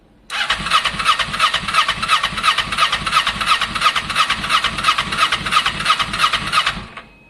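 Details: Kawasaki ER6n project bike, first start-up attempt on a borrowed new battery with old fuel still in the lines: starter churns evenly about three beats a second for six seconds, never catches. Crank no start; owner thinks he hears spark, plans to add fuel.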